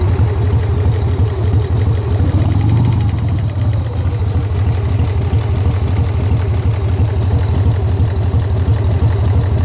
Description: Sportster engine knock. Am I hearing things? Do I have a bad lifter?